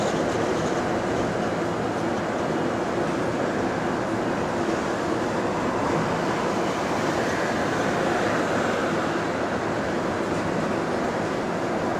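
Steady onboard bus rumble and road roar with no creaks or knocks; the suspension rides quietly.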